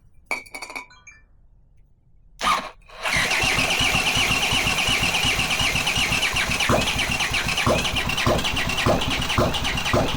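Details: Honda CX500 engine on bench stand, no exhaust, coolant or oil filter, after swapping crossed ignition coil leads; catches after a few cranks and settles into a steady, even idle with regular firing; starts cleanly.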